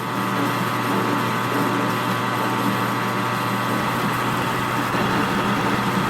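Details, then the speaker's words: Lathe taking a full cut on a replacement spring pretensioner rod for a 35-ton excavator's track adjuster. Lube is in use, and the tool chatters less than high-speed steel did. At 70 rpm there is a steady motor hum with no chatter: a smooth cut. "so I am going to go to 70 rpm and we'll see what that does yeah I think that's doing better I don't hear any chatter at all"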